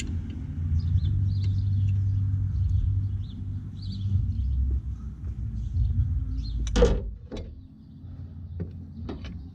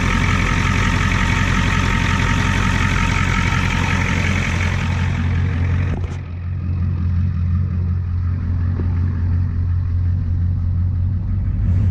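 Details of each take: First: 1989 Ford F250 7.3 IDI diesel after fuel system work, glow plugs cycled: low, uneven cranking rumble for several seconds, never catches; fuel starvation from loose supply line, runs once tightened. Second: 1989 Ford F250 7.3 IDI diesel after near-complete fuel system replacement: deep, steady idle clatter with no misses, then clean shutdown; now cranks up every time, though owner notes blow-by.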